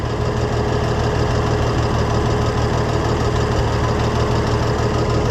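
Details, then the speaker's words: Oliver 1650 tractor after a governor repair: a heavy low idle with an uneven, lumpy beat about twice a second, running rough. Rusty spark plugs are suspected to be part of the issue, and it needs a tune-up; this is unconfirmed. "I'm saying it's gonna need a tune-up because look at how rusty those spark plugs are. That's probably part of its issue."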